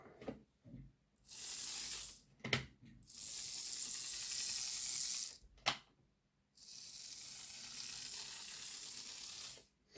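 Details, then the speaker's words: Lima Class 08 shunter model locomotive, running on the test track with the body on: harsh high-pitched coffee-grinder bursts whenever the motor runs; suspected loose magnet or armature hitting something, not confirmed. "it still makes a fatal noise it happens when the uh the body's on let me see what this sounds like with the body on yeah it still sounds a bit like a coffee grinder"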